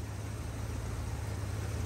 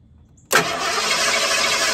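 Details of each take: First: 1983 Ford with separate ignition coil, after swapping the weak coil back to the good coil: starts up and runs smooth and even, no misses or stumbles; normal running confirms the weak coil diagnosis. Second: 1983 Ford with its original weak separate high-voltage ignition coil, engine warm: starter cranks evenly about three seconds at roughly 200 rpm but never catches. The weak coil gives a thin blue spark instead of a strong yellow-orange one.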